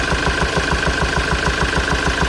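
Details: Ford Transit 2.4 TDCi diesel idling with a steady, sharp knock about seven times a second from a hydraulic lifter that has come loose and dislodged.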